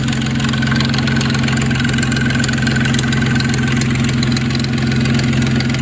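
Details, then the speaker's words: 2004 Nissan Maxima being checked for stalling and fast idle: the warm engine idles at 800–900 rpm with a fast, uneven metallic rattle over the hum; the owner judges it a loose timing chain that is about to go. "Still a little bit high, but not terrible. But that timing chain sounds pretty bad."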